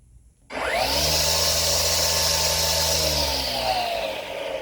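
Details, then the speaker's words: EGO 56V 16-inch cordless weed eater on the slow speed setting (one light): a quick spin-up to a steady, even hum with a soft airy hiss and no rattle. Normal running. "I'll let you hear it again. Okay, the slow setting right there."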